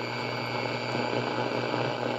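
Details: Midland MW/FM/MB/SW/PB radio on the AM band indoors in an office, afternoon: low, steady buzzing hum under the output without changing, mains hum bleeding into the audio; cause suspected, not confirmed.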